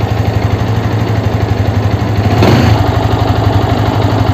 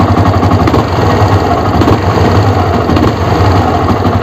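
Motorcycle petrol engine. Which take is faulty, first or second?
second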